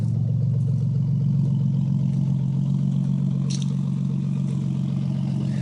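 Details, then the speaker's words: 1990 Nissan 300ZX petrol engine idling at about 700–900 rpm, with a light, even, very loud ticking about four clicks a second. Owner believes it is a bad lifter tick, not rod knock. "ock it's definitely not rod knock it's just a really really really bad lifter tick but it's Extremely Loud"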